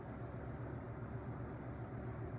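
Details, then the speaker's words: Holmes HABF-20 box fan (Feb 1997), seller's note said "hums"; motor cleaned and oiled, sitting on rigid foam insulation. On low it gives a steady, quiet hum with no scraping or rattle; the blade wobbles, and it is running normally. "Yeah, right now it's just quiet. See the blade wobble,"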